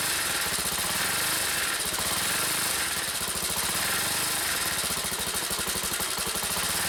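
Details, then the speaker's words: Honda CBX125 single-cylinder motorcycle revved in place: harsh, fast metallic chatter over the engine, louder at higher revs, which appeared while riding nearby; owner suspected low fuel and topped up, cause later found and fixed. "停止してても、エンジン回転数を上げると、変な音がする。"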